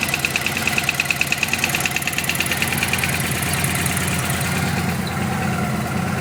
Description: Loud knock on vegas engine